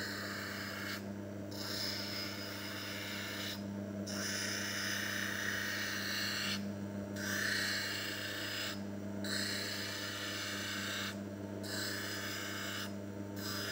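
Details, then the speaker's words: Small manual lens edging (faceting) machine, kept wet, beveling and smoothing a spectacle lens: steady grinding-wheel hum with a gritty rasp that comes and goes every couple of seconds; normal, somewhat noisy edging. "Ini mesin faset yang saya gunakan, mesin faset manual, mesin faset yang kecil. Ini suaranya agak berisik ya, karena seperti putaran gerinda ya."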